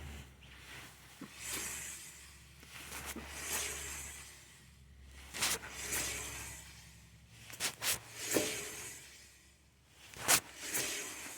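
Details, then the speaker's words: Honda ST1300 rear wheel spun by hand after the outer caliper pistons were extended by squeezing the SMC: a soft rubbing swish once per turn that fades quickly. Increased rear brake drag versus center piston alone. "so there's a little more drag and previously I should have shown you this but I could wiggle this before a little bit"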